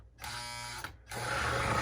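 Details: Lionel 736 Berkshire postwar model train locomotive needing service: small motor whines, stops, then runs on with a harsher, rougher strained drone; mechanism tight, stiff from hardened grease.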